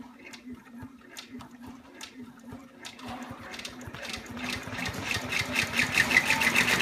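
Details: Baby Lock Enterprise 10-needle embroidery machine stitching at about four beats a second, then a rapid metallic clatter builds and grows louder; abnormal knocking noise, source unknown.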